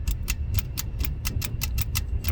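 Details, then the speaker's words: 1965 Mustang 289 barn find parked about 29 years, coil powered, rotor rocked by hand, engine not running: sharp regular snapping ticks at test spark plug, about five per second; ignition spark present. "It's hard to see during daylight, but you can hear and see um here and see the spark. So, I feel confident we got a spark now."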